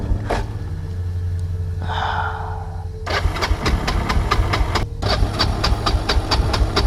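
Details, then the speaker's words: 1999 Kawasaki Prairie 300 ATV single-cylinder nearly stalls on test drive far from truck: sputters unevenly in ragged bursts, nearly dying between them; owner wonders if choke is stuck but its cable moves. "the choke isn't like stuck on is it it can't be because the the cable's moving"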